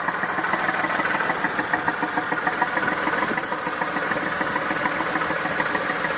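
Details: Massey Ferguson 2645 tractor, Perkins 6-cylinder diesel, owner claims rebuilt 100 hours ago: irregular idle chuff about three a second, some beats weaker; suspected exhaust valve not closing properly, a cylinder down on compression, unconfirmed.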